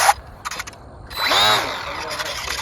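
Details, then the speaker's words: HobbyZone Sport Cub S four-channel RC plane on ground before its test flight: short rising motor whine, then faint quick servo chatter as the AS3X gyro stabilizer twitches the rudder; normal stabilizer servo chatter. "now if you hear that little chatter that's the as3x you can see the rudder move a little bit but it hit bumps uh bumps of the fly"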